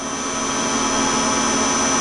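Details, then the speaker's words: Tsugami PL3 CNC gang tool lathe, Fanuc control, 5 HP spindle, 5,000 rpm max, running a program dry without coolant. Steady even machining hum with clean high whine, no knocks or chatter; healthy dry roughing cut. "Okay, so I'm running this time basically the same program, but I don't use any water, and so you can just hear the machine. It's a solid little machine, and it can take a good cutsy cut."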